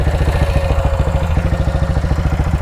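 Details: BSA Gold Star single, after major engine repair and being broken in: crisp, even thumping about twelve beats a second with steady carburettor intake suck, no knocks or rattles; it likes throttle. Running healthy.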